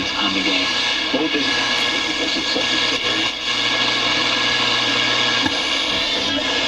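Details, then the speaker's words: 1960s General Electric dual-speaker long-range radio receiver, a barn find under restoration, with a crude clip-wire antenna wound on the rod antenna: voice and music come through clearly with light hiss; normal reception. "attach this here look at that it actually just it comes right to life"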